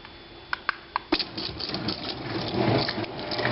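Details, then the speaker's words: Garage door opener after a tune-up and chain/belt tension check. A few sharp clicks, then a smooth, even hum with no squeal or clunk; it runs quietly and normally. "see they they're all going to do that a little bit but this one's not too [Music] bad it's running pretty quiet"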